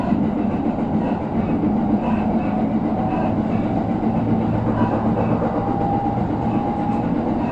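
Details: JR Jōban Line 701 series train recorded 8 January 2021, getting louder on entering an elevated section: steady rail roar with a faint repeating thud once per wheel turn from a wheel flat.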